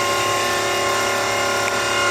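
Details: V8-swapped Mazda RX7, engine off: loud, steady electric whine of the fuel pump priming the new fuel system at constant pitch. Normal priming; no leaks after the fuel pressure gauge fitting, loose at first, was tightened.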